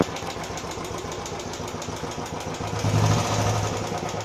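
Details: Royal Enfield Classic 350 after first service, tick returned after another 150 km: light fairly quick unevenly spaced tick over the single's idle thump, owner suspects tappet noise; unconfirmed.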